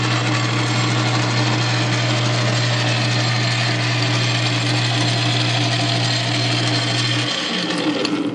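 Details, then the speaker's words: South Bend 9-inch lathe converted to a quick-change gearbox, oiled, with an aftermarket gear, now with the gearbox engaged: a steady, even hum with a light gear whine until it spins down; the gear train runs normally, and most of the noise is play in the non-adjustable reversing gears. "So, with that said, let's kick her in the gear. See how she sounds with that."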